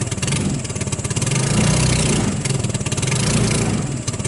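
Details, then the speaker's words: Hammerhead off-road go-kart, 150cc GY6 engine, cold start: uneven, surging putter rising and sagging, struggling to hold revs, not getting enough gas despite fuel present — lean running from contaminated carburettor. "quite get enough gas to keep it going so that's the issue with it"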